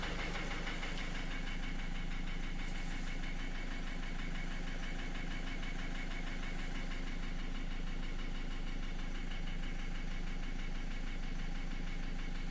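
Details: 2010 Opel Astra J 1.7 CDTI 125 HP diesel: steady regular knock about three per second over idle, slightly quieter when warm; began after clogged oil pan pickup, bearings checked fine, injectors replaced without help; engine has power, cause unknown.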